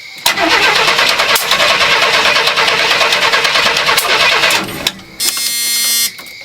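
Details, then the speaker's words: Chevy G10 barn-find creeper van, start attempt after refilling brakes and re-dropping the distributor: starter churns unevenly with sharp pops and a short squeal; backfiring while cranking, distributor suspected 180° out or timing mark off, not confirmed. "I did, Dad. But do you not hear it backfiring?"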